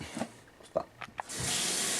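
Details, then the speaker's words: Well water system after adjusting the pump pressure switch and setting tank air 2–4 psi below cut-in (43 psi for 45): handle clicks, then a full, steady rush of water at the sink without surging; pressure much better. "check this out. Now we have much better water pressure here at the sink and the shower. Equally as good."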